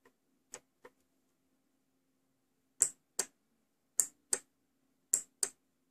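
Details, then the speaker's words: 5V relay module tested on 5 V DC by connecting IN pin to GND or Vin, for an Arduino Nano and A3144 Hall-sensor door light project: sharp paired clicks as it pulls in and drops out, repeated; relay switching properly. "You should hear the clicking sound of the relay as it switches on or off."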